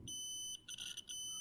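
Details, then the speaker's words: Adafruit Feather M0 Bluefruit with soldered header pins seated in a breadboard, continuity test: beep holds briefly, drops out twice and returns; connection not solid, signal cutting out. "it doesn't seem super solid you guys can see that the signal is cutting out once"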